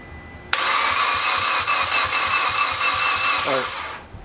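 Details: 2008 Mitsubishi Evo X GSR, 65,000 miles, cranking at about 100 rpm: starter spins steadily about three seconds, never fires; compression 55, 60, 65, 48 psi versus about 160, unchanged after fixing a timing chain skipped one tooth on exhaust cam.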